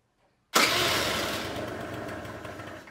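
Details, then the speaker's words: Two-stroke scooter with the carburetor idle screw backed fully out, no throttle: fires with a sharp burst, then fades and dies within about two seconds; stalling because the idle screw is set too low. "hört, der Roller geht aus. Also drehe ich rein und versuche es nochmal."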